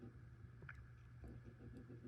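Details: Front roller of a 2020 NordicTrack 1750 Commercial treadmill (model ntl14129.9), about four years old, spun by hand on its good side: a quiet, even low hum with no grinding or rumble; the other side's bearing makes the droning noise.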